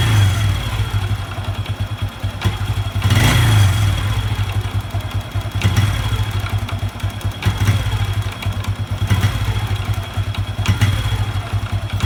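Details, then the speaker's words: Honda Revo 110 (old Revo "jangkrik"): small single thumps, with clattering knocks popping up as revs drop after revving; intermittent. Owner unsure whether clutch or loose primary, suspects something loose on the clutch side, not yet confirmed. "Ini apanya ini kalau es kopling apa laut primer yang kendor kita belum tahu ya kita belum lokal"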